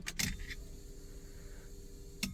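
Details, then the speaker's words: Porsche 924 Turbo, not started for about 2 days: key clicks, then a faint steady electric hum for about two seconds as the fuel pump primes normally before start; owner notes it sometimes revs then dies after sitting, possibly due to priming. "So I have it priming. You'll hear it prime, the fuel pump."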